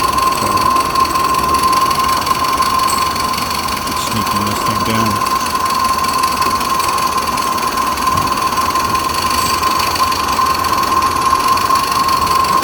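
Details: Ruby-type live steam locomotive, about 8 pounds, test-running on rollers and short track: fast even mechanical clatter over steady hiss, no knocks or stumbles; running smoothly, a good runner.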